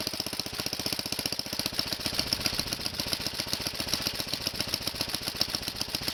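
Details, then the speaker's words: Kohler tractor engine warming up on half choke after a cold start on last year's gas, recoil starter just realigned: quick, even thumping beat with a steady rhythm and no stumbles. Normal warm-up running. "That's another good sign. They don't like having the choke on after it warms up."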